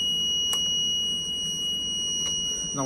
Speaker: lỗi khi chấp nhận thì máy kêu liên tục và một lúc sau chuyển sang báo lỗi dfp Eros